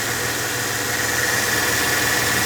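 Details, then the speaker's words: Mercedes E320 after replacing a temporary junkyard tensioner and the idler pulley with new parts: steady, even petrol idle with faint belt hum, no crackling from tensioner or pulley; normal idle. "I couldn't hear the crackling noise in the tensioner. The pulley is also good."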